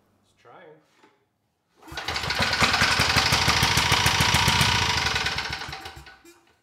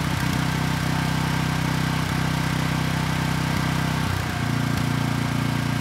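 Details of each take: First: Briggs & Stratton Vanguard commercial-grade engine for generator swap, on first start: loud hard evenly spaced knocking about 214 per minute; first assumed a bad connecting rod, but counterbalancer was one tooth out of time, its weight striking the crankshaft weight. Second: Briggs & Stratton Vanguard commercial-grade single-cylinder engine replacing a thrown-rod engine on a generator, after counterbalance repair: starts right up, idles smooth and even with steady firing and no knock; normal running.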